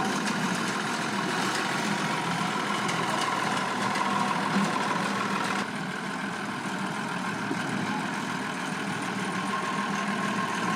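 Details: Vintage Ferguson diesel tractor runs with an uneven, stumbling beat around three per second, one cylinder dropping out; number one injector suspected, engine also worn with blow-by from the dipstick.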